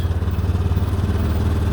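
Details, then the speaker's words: 2013 Honda Big Red 700 UTV, recently bought used, leaking oil: idles fine but from quarter throttle the deep, lumpy exhaust pulses irregularly, sputtering and missing while crawling under light load; no warning lights, owner suspects worn camshaft. "Basically, as soon as you hit quarter throttle, it does this. And then it idles fine."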